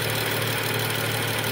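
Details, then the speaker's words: 2013 BMW 335i F30 with N55 engine, after replacing the vacuum wastegate control valve that had caused a constant humming/buzzing. Smooth, even idle hum with no buzzing or rattle. Normal idle after repair. "there we go mold part new part I don't hear any buzzing noise at all"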